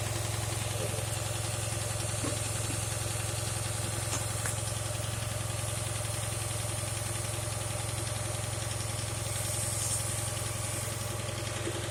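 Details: 2008 Dodge Charger AWD with a vacuum leak persisting after a tube seal was fitted: steady idle with a light, fairly even tick around two per second over the engine hum; cause unknown.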